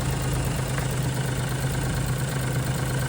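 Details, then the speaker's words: 2017 Suzuki Alto Works, warmed up, under hood with HKS pod filter, new plugs and wires, timing belt 12,000 km ago: quiet steady idle, smooth hum, faint light tapping, not a knock. Normal idle. "But I guess I'll put it over just so people don't think that there's a knocking sound anywhere."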